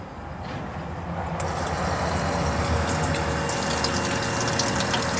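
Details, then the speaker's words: Ford F-250 front electric fuel pump tested by jumpering the test connector, fuel shooting out; faint steady hum comes on under a rushing hiss. Front pump working; normal fuel pump operation. "Front pump is working. I got a shooting out there. Front pump is working."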